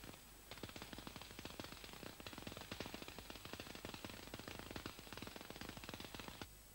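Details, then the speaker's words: MAG welding under CO2 at about 34 volts, globular transfer with drops two to three times wire diameter: harsh irregular crackle from unwanted short circuits, spatter and smoke. "der material übergang erfolgt um regelmäßig und nicht axial ungewollte kurzschlüsse führung zu spritze aus los die rauchentwicklung signalisiert die applikations wirkung"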